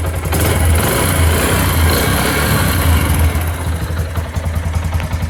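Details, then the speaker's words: Yamaha YBR125 single-cylinder motorcycle at idle after replacing the exhaust seal at the head to cure a leak: a steady low thump with no leak puffing or ticking, a normal exhaust note. "अभी मैं आपको bike की sound check करवाऊंगा, बिल्कुल smooth sound हो जाएगी।"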